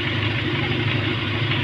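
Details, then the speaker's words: Kia Pride small petrol engine now idling smoothly and evenly with a steady low hum after fixing a misfire caused by a carbon-fouled, gapped number four high tension wire (subject for replacement) and cleaning the spark plug. "pino siya Gwapo na yung andar niya kasi ang problema talaga dito sa high tension wire"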